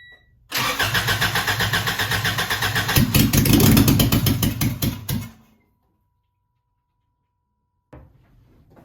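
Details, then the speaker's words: Honda DC2 Integra after fuel line repair, header off, fuel pump primed 10 times. Quick steady cranking, a brief stumble, then it dies. Owner suspects not enough fuel had reached the engine on this first fill. Hard start. "uh maybe it was just because it was a first time running fuel to the actual motor because the fuel pump primed i primed it 10 times to try and get enough fuel in there but it probably wasn't enough"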